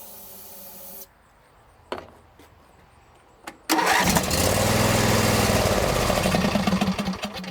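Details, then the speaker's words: John Deere lawn tractor with spark, good fuel filter and pump: cranks, runs only on sprayed starting fluid, roars a few seconds then fades, even with full choke; the carburetor fuel shutoff solenoid doesn't click, suspected stuck closed. "and that's all you get it just burns what you spray in there even if you have the choke full on nothing else happens"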